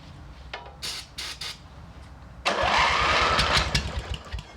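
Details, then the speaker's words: MTD riding mower twin engine, one head gasket replaced, started on ether: slow cranking bursts, then rough, lumpy running on only one cylinder because the head gasket on the other side is leaking. "sounds like it's firing on only one cylinder do that again spray some [ __ ] in there again [Applause] what yep it's leaking out of that head gasket there it is"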